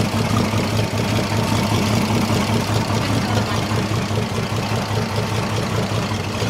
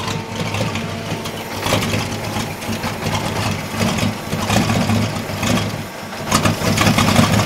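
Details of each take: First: Holden 202 petrol six-cylinder repowering a Caterpillar D2 crawler, first start in about 12 years, with two-stroke oil added to lubricate the top end: smooth, regular, even idle with no ticking, knocking or misfire. It is healthy. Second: Holden 202 petrol six in a converted Caterpillar D2, just restarted after about 12 years: uneven, lumpy idle that stumbles and surges, with black smoke. Owner suspects the carburettor needle and seat are stuck open, flooding it and running rich.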